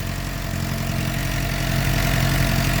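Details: 2007 Suzuki GSX-R 600 first start after water pump seal, freeze plug and electrical repairs for coolant in oil, gaskets reused: steady, even low idle with smooth regular beat, no knocks or rattles. Normal idle; smoke thought to be old oil on pipe.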